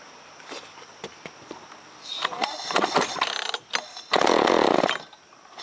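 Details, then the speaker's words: Chainsaw started with choke on: it coughs and catches in ragged, uneven bursts, never holding a clean rev, running rough and weak. Owner says it fouls plugs quickly and died earlier; suspects it needs more punch, advised to check spark and fuel. "It kicked. Yeah, it just needs a little more punch, I think."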